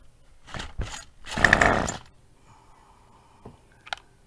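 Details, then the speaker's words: Murray Select MS 2560 engine during a spark check: a couple of pulls, then a short ragged buzzy burst that dies within half a second. Starts briefly then stalls. Spark confirmed; a dirty carburetor is suspected, cleaning next. "so it's stalled out but i saw spark clearly i saw spark it wouldn't have done that if it wasn't for spark so we do have spark"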